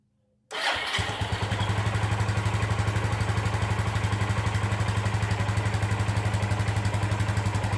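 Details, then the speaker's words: 2001 Suzuki GZ250 single-cylinder started with the clutch in, right after an oil and filter change: the starter catches and the engine settles into a steady, even thump of about four a second with a little rev. Healthy start and idle. "Okay, that had some time to pump through the engine."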